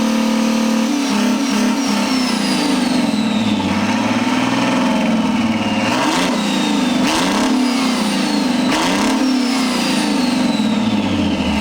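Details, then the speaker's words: 600-hour Detroit 6V92 487 hp two-stroke diesel fire pump engine with 125 injectors, run outdoors off a fuel jug on weak batteries: strong even roar climbing and settling cleanly through revs, no knocks or misses; runs perfectly at high rpm. "oh boy she is a repper oh man that thing just runs perfectly dude God it sounds good too"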